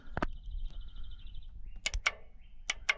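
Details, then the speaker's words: 2002 Toyota RAV4, U140F automatic transaxle with P0758 code: shift solenoid tested with 12 V gives sharp, crisp clicks each time power is applied; solenoid switching properly, solenoids ruled out as cause. "hear that click that's the solenoid working"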